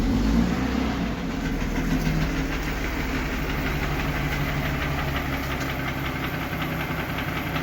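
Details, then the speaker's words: Mercedes G-Class (Gelandewagen) M104 3.2 petrol, 220 hp, at idle: lumpy misfiring idle with a hard knocking beat about four per second; low compression, burnt piston in cylinder one found by endoscope, melted catalytic converter, knock began after oil change. "Так ну и вот буду поменяли масло и что-то застучала в двигателе Сейчас я покажу все услышите буду снимать ГБЦ залазить двигатель смотреть что с ним случилось и что там уже что там могло застучать"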